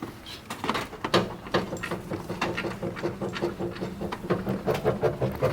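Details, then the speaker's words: Nissan 350z drift daily-driver, car bounced by hand: squeaky creaks about twice a second from dirty, dry heim joints on the front angle kit that have lost lubrication; owner plans to spray white lithium grease, also creaks when turning the wheel. "And not to mention, if we start it up and you turn the wheel, you should be able to hear some more creaking. you could hear that because this thing is so freaking loud. There's a lot of noise coming from the front angle kit."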